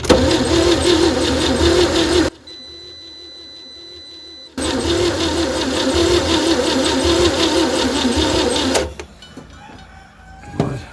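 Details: 1960 Chevy C10 235 six after 40 years sitting, on charger, spark confirmed: two long cranking runs about three beats a second, never fires; owner suspects weak compression, blow-by, unseated rings; cranks no start.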